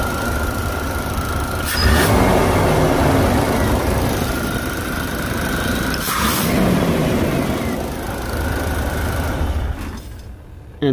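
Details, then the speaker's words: Chevy throttle body injection engine with oil pressure switch unplugged or faulty: cranks without starting, and on sprayed brake cleaner runs roughly for about ten seconds then dies, since the injector gets no signal. "okay so you might have that similar issue where just cranks and cranks and cranks"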